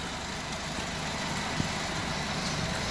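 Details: Honda engine after a misfire and fuel knock with check engine light, repaired by taping ignition coil wiring pins and clearing the codes: quiet, even idle with a soft steady rumble and no knocks or misses.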